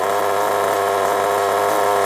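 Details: Nitro RC engine restarted after two years unused, carb just adjusted: steady, even high-pitched buzzing idle with no stumbling; holding tick-over fine.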